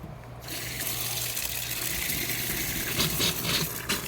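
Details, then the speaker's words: Sprinkler system seasonal start-up: loud continuous rushing splash with surging spurts as water gushes from an open line with no back pressure. "The only way that this is going to stop gushing is if you build up back pressure."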